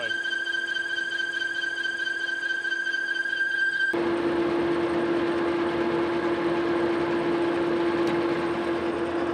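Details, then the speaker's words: Lathe turning hard chrome-plated stock down to 3/4 in for a 1917 Vulcan steam locomotive valve rod, speed reduced: steady high squeal over the drive turning harsher and louder as the tool bites into chrome. "so again we got some really hard material here I'm hoping that uh we can kind of get underneath that Chrome layer and get it off"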